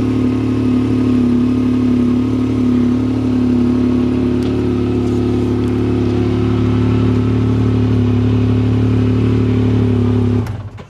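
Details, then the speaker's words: Salvage-auction vehicle started in neutral with the brake on: even idle with a steady low drone and mid hum, no knocks or misses, then it cuts off. Normal healthy idle. "hey it runs man wonder what it's doing here they had to roll it or do something sounds good sounds damn good"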